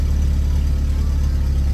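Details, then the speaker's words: VW Corrado with new fuel pump and cleaned-out fuel tank (old fuel was black), after starting on its own fuel: deep steady low rumble with even unbroken beat, no misses or knocks; normal idle. "so now if i turn the ignition on we've got very slowly moving a fuel gauge and [Music] it fires up by itself"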